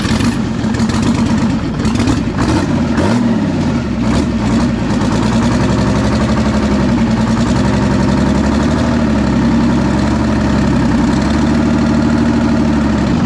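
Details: Clark forklift Detroit two-stroke diesel, first run after sitting several years, oil leaking from a line now fitted with a gauge reading 30 psi: steady, even idle with a firm low drone and no knocks or misses; sounds healthy.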